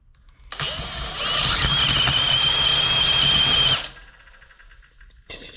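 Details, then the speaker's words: Failed alternator from a Coyote-engine Mustang, with a wrecked pulley, spun on a drill below engine rpm: a rough, gritty whir with a high whine that fades as it coasts down. Worn alternator bearing. "Oh yeah, something's cooked in there. I can hear it like like when it comes to like a a rolling"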